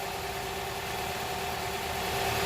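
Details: Honda Prelude SH idling after about ten minutes of running, following oil cooler/adapter gasket replacement for an oil leak; steady, even idle with a constant low hum, no knocks, ticks or misses; healthy, leak appears fixed.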